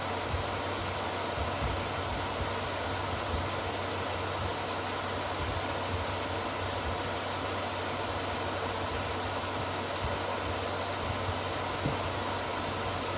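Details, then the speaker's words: Repaired inverter welding machine, cooling fan running after repair, loud enough to mask the relay click: steady even whoosh, no rattle or pulsing; normal cooling fan, welder working. "Very hard to hear how the relay turned because of the cooling fan noise."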